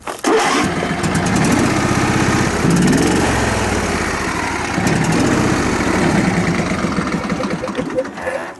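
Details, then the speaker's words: John Deere riding mower barely running: it catches and runs loud but lumpy and uneven, as if firing on only one cylinder. "it sounds like it's firing on only one cylinder."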